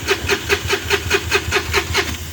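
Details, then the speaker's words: Mahindra Supro diesel, non-BS6, no-start with scanner showing no trouble codes: starter turns engine over in even beats about five a second with no firing; crank no-start. "गाड़ी start नहीं हो रहा है और जो है इसमें जो हम रीट फल कोड करेंगे फिर फिर लिखा नो ट्रबल कोड ठीक है"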